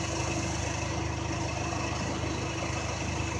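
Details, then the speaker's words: 1995 Honda Accord idling with A/C on after repair, bad expansion valve replaced: steady smooth drone with the compressor running normally, 210 psi high side, 42 low, interior ice cold. The relay was temporarily jumped from the condenser fan relay pending a new PCM. "We got 210 on the high side and 42 on the low side. Interior's ice cold."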